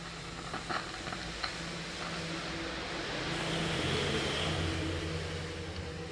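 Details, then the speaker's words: Amplifier with equalizer, volume turned fully down: crackling and hissing with sporadic pops from the speakers; caused by worn, dirty equalizer control potentiometers, a common fault on such amps. "ඔයාලට පේනවා ඇති volume උඩරිම අඩු කරලා තියෙන්නේ වුණාට මේකේ speaker වලින් ජරබර ගාලා සද්දයක් එනවා."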